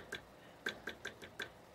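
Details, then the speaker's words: PC CPU fan (Thermaltake TR2-R1 92mm AMD cooler) with sharp irregular ticks, about five in two seconds, over a faint fan hum: bad bearing. Power supply fan checked okay; tapping traced it to the CPU fan. "Oh well evidently it's pretty loud yep that's definitely this sounds like a bad bearing I"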